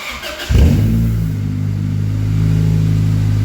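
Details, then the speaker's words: Honda Accord CD5 with exhaust removed before cat-back install: sharp bark on start, then loud deep raspy drone; open header with no exhaust past it. "You guys know what an open header car sounds like."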